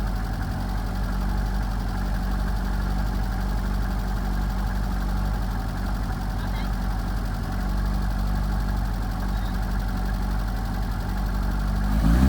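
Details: 1978 FIAT 124 Spider: low, uneven idle that lopes and stumbles, with a brief rev at the end; rough idle, cause not yet found.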